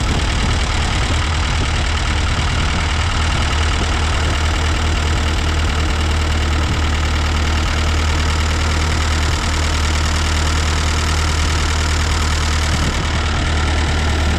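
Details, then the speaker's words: Ford 8N tractor after carburetor rebuild, choke off, not yet warm: steady even low thrum, no knocks, misses or surging; running smoothly, though reluctant to idle and intake leak suspected. "like it's running pretty good now the to's off kind of wondering if we do have a leak on that intake not wanting to suck fuel right away it doesn't want to idle but I'll let it warm up a little bit"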